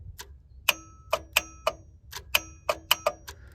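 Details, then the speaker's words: 1990 Ford F-250 7.3 IDI diesel, first start in 3 years on a cold February morning, fuel shutoff solenoid wires unplugged; key to run gives uneven sharp metallic solenoid clicks, about two a second; no fuel delivery found afterward. "I hear it. Interesting, when you turn this on, it clicks my..."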